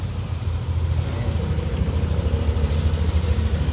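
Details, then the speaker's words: Yamaha NMAX V2 scooter, warm engine, after repair of squeaking and whistling noise: steady low even idle with no squeak, whistle or rattle; engine healthy. "So walang ingay, walang [Musika] kalansing, all goods na. So wala ng problema, wala ng issue, wala ng ingay yung makina ni boss."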